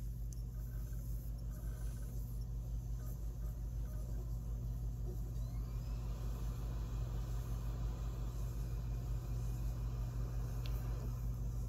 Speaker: Here we have another triple layer disc. Pretty heavy printing, but it just ended up being perfectly centered.